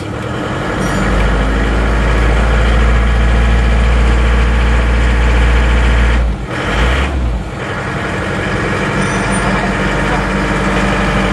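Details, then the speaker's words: Isuzu Panther diesel, new engine mounts and hoses, cold idle with hard steady clatter about four times a second; injection timing too far advanced, retarded slightly and sounds better, but regulating valve still acts over-advanced. "Oke menurut saya suaranya agak terlalu madu ya ini sudah kita mundurkan sedikit suaranya sudah enak ini kelihatannya regulating valve walaupun dimundurkan tapi tetap efeknya seperti terlalu maju"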